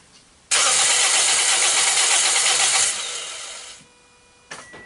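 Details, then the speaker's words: 2010–2011 Toyota Corolla, 1NZ engine, crank-no-start after engine-bay wash at car wash; fuel, spark and battery checked. About three seconds of fast, even cranking during compression test that never catches; compression reads really low, connection being rechecked. "let's see what much compression we got that's really low"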